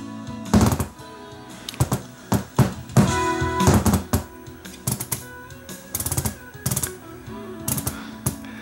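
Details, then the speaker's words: LuxKit A3400 vintage tube preamp, kit built by a beginner: irregular sharp pops and crackles over a faint hum, louder when turned down to minus five; a popping fault, and inside the owner finds poor solder connections. "when I go down to minus five listen how much louder it pops up when I go down to negative five it's actually louder"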